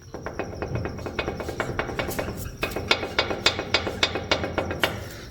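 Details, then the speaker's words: Worn front ball joint on a Chevrolet Colorado pickup, worked by hand with the truck lifted: irregular creaking clicks about three or four a second, before the joint is replaced. "Así suena una rótula dañada. Imagínensela ya en el camino que ustedes van."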